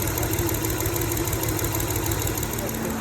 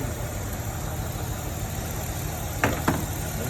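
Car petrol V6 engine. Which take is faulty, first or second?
second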